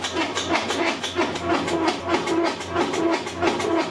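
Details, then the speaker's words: Whirlpool top-load washer in the spin cycle: rhythmic grinding clunks about one and a half per second from a worn gearcase (transmission). "if the washer is making the noises and the spin drum is not spinning properly you will need to check the gear case"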